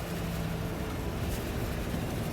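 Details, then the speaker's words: 1985 Chevrolet K20 Scottsdale V8, long-sitting truck revived with cleaned distributor cap contacts and fresh gas: lumpy idle with a faint irregular stumble, slight misfire, cause not identified; good oil pressure and charging. "Don't know if it works, but we'll give her a pump here. It's misfiring a little bit."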